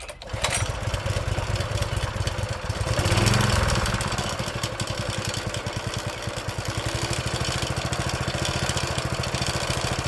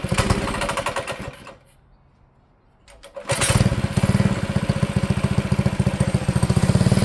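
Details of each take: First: Old Honda GX engine on a tiller, sitting about 6 months to a year: catches on the first pull, briefly revs, then settles into an even thumping idle around three beats a second; normal start and idle. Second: Manco Streaker mini bike engine on throttle: revs, sags and nearly dies, then picks up and pulses unevenly; only runs well on choke, lean carb bog, cured by a richer 125 jet.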